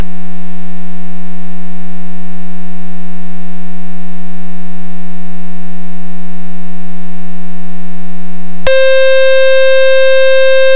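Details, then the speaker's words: RV7 experimental aircraft during phase-one test flying, warming up on the ground with cold oil: loud steady alarm tone then a higher, harsher pitch; high-current alarm triggering at about 19–20 A, owner suspects the alarm setting is wrong. "High current alarm 19 amp something's wrong with the alarm here it's uh triggering at uh 20 amp"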